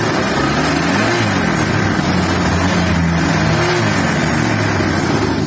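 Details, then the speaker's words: Honda Vario 150 after repair, with the radiator refilled: an even, smooth engine note under light throttle. The earlier rough, cobra-like hissing is gone and it is running normally again. "sangat halus sekali temen-temen sangat halus normal kembali yang tadinya suaranya berdesis karena meringkasnya dua-duanya dia kata temanku"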